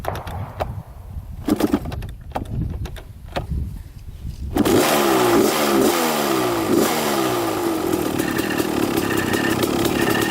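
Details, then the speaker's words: 1995 Kawasaki KX250 two-stroke first start after sitting; rough grinding buzz at idle while the clutch is held in; owner suspects a leaking, JB-welded clutch-side cover punched in, cause unconfirmed. "so holding in the quad all right so there's that definite grinding sound you can hear when pushing in the clutch or when pulling in the clutch and i think it might be this thing"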